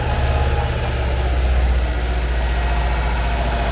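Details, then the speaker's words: 2004 Subaru Impreza WRX STI, one owner, all original, room-temperature cold start at idle: low even rumble with no misses, knocks or ticks; very smooth healthy cold start. "it's a very very smooth cold start on any engine especially a subaru engine"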